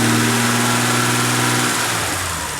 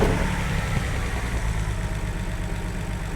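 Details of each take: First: BMW 330i E46 (written-off non-runner) revving cleanly after fixes, falling away smoothly with no stumble or misfire, sounding much better than before; mass airflow meter still to be ordered; normal rev. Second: BMW 330i E46 (written-off non-runner) first start: lumpy, uneven idle with dropped pulses, smoking, no mass airflow sensor fitted, oil leaking from rocker cover onto exhaust; misfire at idle.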